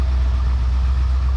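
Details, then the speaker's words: Long-abandoned 1971/72 Ford Mustang V8 at idle, no smoke except under heavy acceleration: deep steady burble, even firing, no knocks or misses; idles smoothly and sounds healthy. "what do you think I think it runs really well I think it's pretty good"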